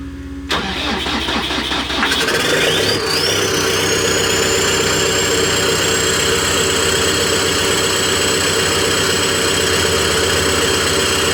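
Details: Cat D3K2 dozer (complaint rough running, power loss, white smoke) run with exhaust disconnected after the turbo: quick crank, turbo whistle rises and settles, steady even diesel idle; DPF at 86% soot suspected plugged.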